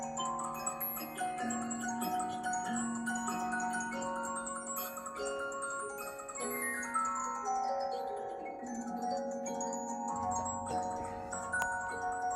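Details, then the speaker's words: Bremond Mandolin Harpe cylinder music box, previously improperly adjusted, now adjusted and oiled: a clear, bright tinkling melody at even tempo with clean sustained notes and no dragging or buzzing; plays properly. "My dad always said mandolin boxes sound the best. And you know what? Hush diggity, he's right."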